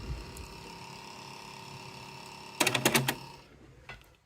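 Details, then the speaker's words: Panasonic RX-ED77 "Cobra" boombox, cassette deck one on play: steady whirring motor hum with no tape movement, then sharp mechanism clicks; motor runs but spindle does not turn, belts suspected. "so he's playing forwards on cassette one and the spindle is not moving at"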